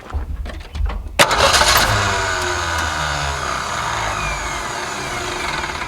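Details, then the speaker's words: 1961 Ford Falcon left sitting 15 years, started with a shot of carb cleaner: fires after short crank, idles with irregular stumbling beat; rough idle, owner suspects a dead cylinder. "a hot dog would you look at that it even idles sounds like it might have a dead cylinder"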